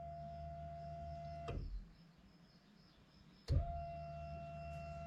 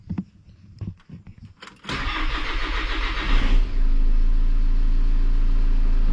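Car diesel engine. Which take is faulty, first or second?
second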